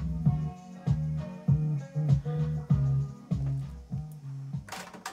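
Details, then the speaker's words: Aiwa AD-F410 cassette deck after a cheap replacement belt was fitted, playing through an external amplifier: music sounds low and draggy with sagging, wavering pitch, so the tape runs slow and unsteadily. It was better with the original belt. "it doesn't sound like a steady a steady sound either so i'm going to forward it for a little while see if this freezer up a little bit"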